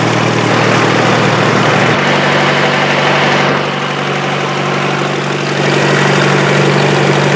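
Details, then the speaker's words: Boat engine under way on the river after clogged carburetor was fixed: steady, even drone with firm low beat about four per second, no misses or knocks; ran perfect, running cleanly. "well there you have it took us a couple days but we finally got the boat back in commission ran perfect"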